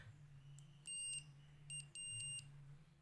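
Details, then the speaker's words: Allosun digital multimeter in buzzer/continuity mode, probes touched together: three short high-pitched beeps each touch, continuity buzzer working normally. "Buzzer mode இதில் வந்து இந்த 2 ப்ராப்பையும் ஒன்றோட ஒரு sound ஒன்று"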